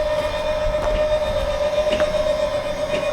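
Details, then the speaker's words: Lippert leveling system on a fifth wheel RV with a right rear jack fault, control board suspected bad: steady mid-pitched electric motor whine with light clicks as jacks retract, front included; afterward the right rear jack never moved. "You can hear them retracting. You can see them retracting. And it is retracting the front also."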